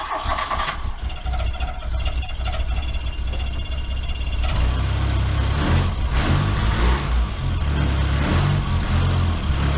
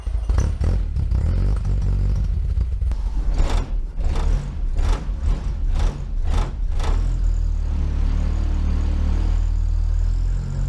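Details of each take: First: Mk1 VW Rabbit 1.7L right after cat delete with roughly welded pipe; cranks, catches and settles into loud raspy idle with fast puffing tick from leaking exhaust welds. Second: Mk1 VW Rabbit 1.7L during catalytic-converter delete work: cranks and catches with a few rattles, then settles into a steady, even low idle; the engine sounds healthy.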